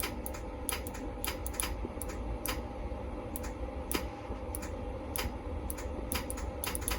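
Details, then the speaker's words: 4th-gen Camaro after a T56-to-Turbo 400 automatic swap, trans brake solenoid wired through the firewall to a switch and button: sharp crisp clicks at irregular intervals with each button press over a quiet hum. The solenoid is switching normally. "So as soon as we turn this on, and I press this button, we should hear the solenoid in the transmission."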